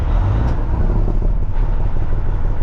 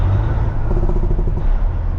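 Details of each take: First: Truck diesel, stage one (low) engine brake: engine holds a steady pulsing drone instead of dropping off. Fault under repair; owner plans to replace two solenoids. Cause not confirmed. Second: Truck diesel, stage two (medium) engine brake, fixed earlier via the engine harness: deep rumble and exhaust bark as revs fall away evenly and stop. Working normally.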